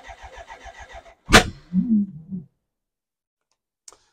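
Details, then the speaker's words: BMW K100 motorcycle with newly replaced fuel filter: starter chugs about a second, then one sharp bang and short sputter before silence; cranks, almost starts but won't run. Owner thinks unburnt fuel causes the bang; unconfirmed. "I'm going to give this one last go so you can hear exactly how it's almost starting because it makes me [Laughter] excited and that's the bang doesn't do that very often which means a lot of unburnt fuel I think is getting [Laughter]"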